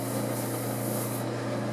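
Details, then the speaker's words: Maytag/Whirlpool/Kenmore-type clothes dryer: steady low motor hum, faint rubbing hiss, no tumbling thumps; drum not turning though it heats, owner suspects a broken drive belt. "it was warm in there but the drum wasn't turning so those clothes aren't going to dry I think I've got a broken belt"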